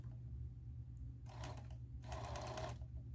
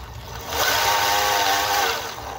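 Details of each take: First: Singer 431G with internal motor converted to low voltage, sewing denim: short stitching bursts over a steady motor hum louder than it should be because the motor shaft is slightly out of balance; super slow control works. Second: Singer 431G internal motor converted to low voltage, after correcting reversed spin direction: smooth whir swelling and easing with no clicking, much quieter; gear-mesh hum remains.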